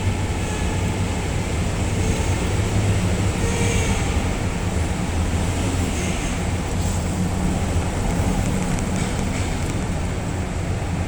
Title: 2011 Ford Edge making noise while steering left up parking ramp Oct. 2018 (What is it???)